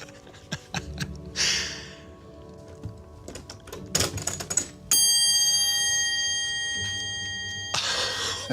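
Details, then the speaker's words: Restored vintage taxi meter after repair: bright ringing bell strikes with a long fading tone, light handling clicks and faint clockwork ticking. Bell and clockwork work normally, like new. "You can hear it ticking as well. And it is ticking. You've literally brought it back to new."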